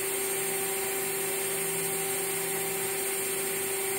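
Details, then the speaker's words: Water-cooled CNC spindle at 23,000 rpm, recorded on a cell phone sitting closest to it: steady high electric whine at one pitch with a soft airy hiss and no rattle, quiet enough to talk over. Normal running. "Uh you can very easily talk over this. I'm quite sure the audio you'll be a you can hear my voice and I'm not speaking loudly."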